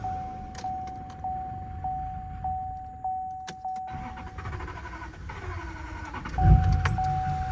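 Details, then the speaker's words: LML Duramax diesel restarting: slow cranking pulses about every 0.6 s, then a sudden loud surge on sprayed brake cleaner, nearly running away; more cranking alone might have sufficed. "I probably could have just turned the starter some more. It probably didn't need no brake cleaner, but we're good. The motor didn't run away."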